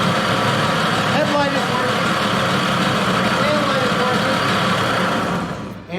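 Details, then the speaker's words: Tomos 50cc two-speed automatic two-stroke moped after rewiring electrics; idles steadily about five seconds then cuts out abruptly as the newly wired kill switch stops it cleanly. "we have a kill switch she is officially wired"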